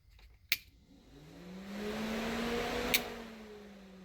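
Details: C6 Corvette electric cooling fans on a hand-wired toggle switch, bypassing a rain-flooded fan control module, tested before a drive: two sharp clicks bracket a soft whir that swells and settles to a steady tone; fans running fine.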